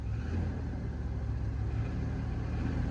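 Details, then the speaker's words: Big old engine, Detroit 6.5-style, in a truck cold-started below zero with a new battery and starting fluid: deep steady rumble with busy valve-train clatter after the cold start, oil pressure present. "she sounds like an old 6'5 detroit with all the uh valve train noise and whatnot but she's got oil pressure so that is good freaking news"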